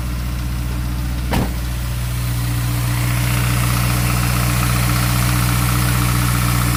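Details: Honda S2000 AP1 engine at idle: steady regular light ticking/rattle, roughly three per second, over a low hum; cause not yet found.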